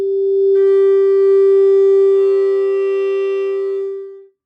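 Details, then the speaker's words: Fender Dual Showman tube amp, normal channel, 400 Hz sine at about 500 mV into input, treble linear; pure steady tone with no buzz, crackle or distortion before cutoff; clean output. "Here's a linear signal. I'm not using any sweeping at the moment, just so you get a nice clean sine wave, 400 hertz."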